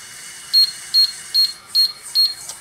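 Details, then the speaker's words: Hoshizaki nugget ice machine control board sounding five short high beeps about 0.4 s apart in a quiet room; the manual lists five beeps as the freeze timer alarm. "look what we just caught how many beeps was that so we got five beeps all right so as you heard we have five beeps coming out of this control"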